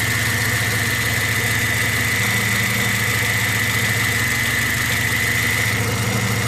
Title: Bad alternator bearings.